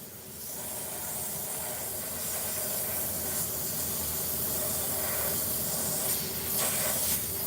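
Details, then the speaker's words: Tire valve leaking while a replacement core is tried: a steady high-pitched hiss that holds level; the new core was then locked in with a long core tool. "Y'all hear that hissing sound? You gotta fix that. I got another one. Let's try this one. Y'all hear that hissing?"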